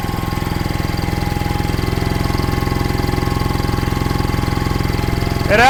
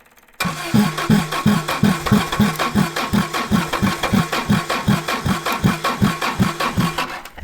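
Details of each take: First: 1960s General Supply 260 air compressor on a Kaiser Willys CJ2A engine with a new electronic distributor, timing tweaked by ear: even thump, revving back up cleanly as the compressor cycles back on load, which it hadn't done in years. Normal run and rev-up. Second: 1960s General Supply 260 air compressor, Kaiser Willys CJ2A engine with custom head, new electronic distributor being timed by ear: slow labored uneven chuffing about 2.5 beats per second; ignition timing off.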